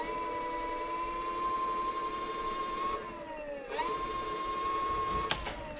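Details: Front hub motor of a DIY dual 350 W hub-motor electric scooter spinning freely: clean, smooth whine holding steady, easing down and winding back up with throttle, no grinding or clicks; healthy.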